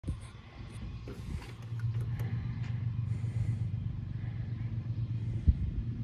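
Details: Worn Bolens G174 diesel tractor, hours unknown, cold start attempt on a 90°F July day. Slow, labored cranking with a dull chug that never catches. Glow plugs, air filter, fuel, starter and battery were checked; compression is 325/395 psi, so hard starting comes from low compression and it needs a rebuild.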